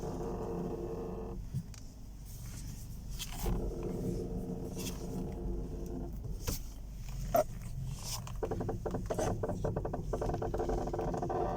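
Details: Front suspension creak on a 2011 Peugeot 308 when turning the steering wheel: drawn-out groaning creaks after the front spring broke and the struts, strut bearings and springs were replaced, about 500 km ago; the owner doesn't know the cause.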